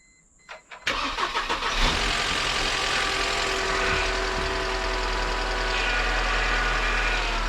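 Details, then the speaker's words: 1998 Mercedes C230 (W202), sat in a field since 2018, worn starter: cranks briefly, catches, then settles into an uneven, lumpy idle that wants to die unless given a little gas; stalling after start. "see how it wants to die yeah you're going to have to give her just a little gas when it starts to die down like that"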